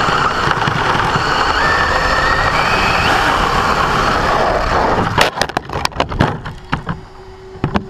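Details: Brand-new Basher Nitro Circus 4x4 1/10 RC truck on a 3S 4000mAh battery: a rough gritty rasp over the motor whine while pulling forward, then clicks. The noise occurs only under acceleration, not in reverse or off the ground. Gear mesh adjustment didn't fix it, and the cause is not found.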